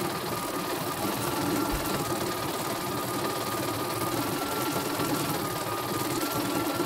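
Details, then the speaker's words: Embroidery machine repaired for rough growling rotation, thread tension reset after reversed part: steady, even whirr with light high tone, no rough growl or catches; head stitching smoothly, thread won't break when pulled; normal stitching run. "Oke, mesinnya berjalan sangat lancar, tidak ada kendala sama sekali dan tidak mau putus ya."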